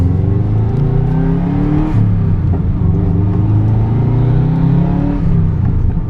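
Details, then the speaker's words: Subaru 2.5RS with swapped stock EJ205 turbo engine, new clutch with about 100 miles being broken in, driven without reaching redline: deep, loud flat-four burble pulls up smoothly with no knocks or rattles; strong, healthy acceleration. "the car is a lot faster even without going all the way to redline it is so much quicker than what it was and this engine is completely stocked"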